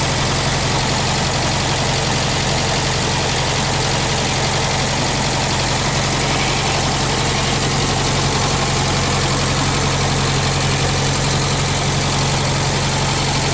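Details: 1965 Australian-built small-window VW Beetle, air-cooled flat-four idling on an old 6-volt battery: steady, deep, smooth beat with no knocks or ticks; engine very healthy with only a slight oil drip; normal idle.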